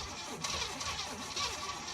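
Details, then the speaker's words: Pontiac Trans Am with carburetor stuck shut: sluggish, labored cranking that rises and fades, gas added but no air getting in, engine turns over slowly and fails to start. "here's where we are so far it cranks over cranks slowly I put gas in it and it seems like it wants to do something but I can't give it any air because the carburetor is stuck shut"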